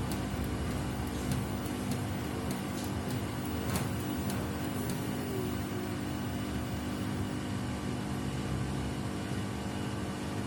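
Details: Samsung WW75TA046TE front-loader replacement unit, sixth day of use, mid-wash: loud steady low drone with scattered sharp clicks early on; the noise grows louder each wash.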